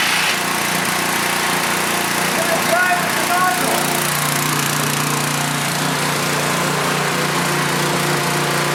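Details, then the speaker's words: Pressure washer small engine, 2002 date code, after throttle spring adjustment, started first time, air filter missing: steady high buzz with faint light clatter and a little smoke, running evenly; working normally. "smokes a little bit clatters a little bit fits right in it's a working pressure washer"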